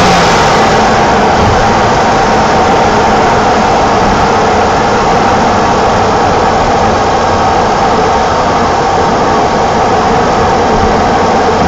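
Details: 1987 BMW E28 520i, M20 2.0-litre inline-six, 129 hp, nearly 400,000 km, running well again, recorded on a phone; smooth, full, even pull under throttle, no knocks or misses. Normal engine revving.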